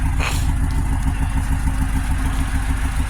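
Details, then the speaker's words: Grand Prix GXP V8 at first start-up after revival, old plugs and wires, suspected bad mass airflow sensor, DOD cylinder 4 control circuit code: rough, loping idle that stumbles; slight misfire suspected, possibly a bad DOD lifter. "sounds good definitely sounds like it has a little bit of a misfire but I didn't change the plugs or wires or anything"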